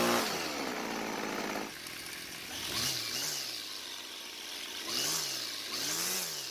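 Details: Old Homelite two-stroke string trimmer that quit mid-use and wouldn't restart despite fuel, spark and compression; after priming the bulb it starts, crisp buzz climbing cleanly on throttle blips back to steady idle; runs healthy, L screw left unadjusted.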